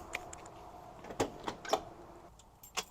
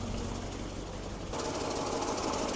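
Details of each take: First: 1967 Lincoln Continental convertible V8 after ignition coil replacement and locating where spark plug wires were jumping spark: a few clicks, then it fires and settles into a steady, even idle, running smoother. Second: 1967 Lincoln Continental convertible V8 after replacing ignition coil and fixing spark plug wire arcing: runs at idle with fast, sharp ticking chatter and no knock underneath, an exhaust manifold leak, gasket left unrepaired.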